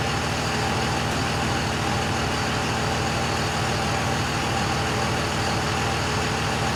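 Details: 2001 Cummins dually, first fire after the cracked 53 block at about 240k miles was replaced by a 56 block with new rings, gaskets and bearings plus 50hp VCO injectors. A steady, even diesel clatter with no knocks or misses: normal idle.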